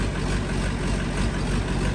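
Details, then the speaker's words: LBZ Duramax diesel drag truck (472 charger, 150-over injectors, 12 mm pump) on first start after build: deep, uneven, lumpy idle thump with no steady rhythm; air still trapped in the fuel system. "Oh! It's getting there. It's got a little air built up in her. Keep running."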